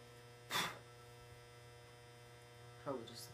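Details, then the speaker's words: GE 400 W high pressure sodium lamp fixture, drawing about 430 W after warm-up: steady low electrical hum from a loud, somewhat old ballast, nothing mechanical. "as you can hear the ballast is quite loud oh quite noisy not so loud but"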